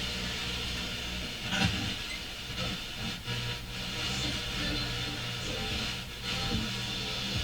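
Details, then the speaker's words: Grundig SO-152-CA console receiver on FM, weak signals far from stations: tuning rapidly through a station, the hiss fades at centre tuning, with noise and buzz on the other side. FM mistuning noise and buzz. "Just listen to the point where the hiss just kind of goes away. Right there. And on the other side you hear noise and a buzz."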